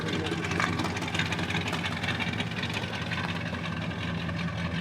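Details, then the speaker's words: Truck with V8 on a four-wheel-drive automatic project truck, owned about 8 hours: loud, deep, burbling idle with uneven lope and raspy exhaust, sounding like glass-packed mufflers; normal idle. "sounds like it has glass packed Mufflers it could it very well could"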